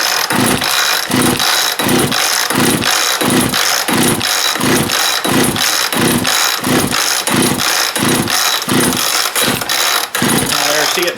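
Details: Chainsaw (no chain brake, pull choke) on start attempts: repeated pull-cord bursts about every two-thirds of a second, sputters but never catches; fuel starvation from a gummed carb.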